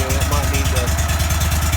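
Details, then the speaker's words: 35hp Vanguard V-twin on a Go-Devil surface drive, with a brand new prop, after an oil change: choked idle with no throttle while the filter fills. Even firing at about 9–10 beats a second, no knocks. "so we're just going to pull a choke here no throttle just choke it yeah this that brand new prop let that out for a little bit"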